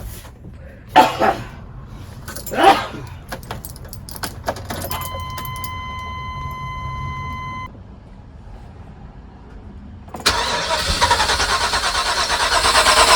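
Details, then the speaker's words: 2002 Holiday Vacationer RV, 8.1 liter Chevy, sat three years, cranked on jump box: keys and door chime, then steady starter whirring that never catches; crank no start from failed fuel pump. "Well, we now know that it cranks. So let's see if we got any fuel pressure."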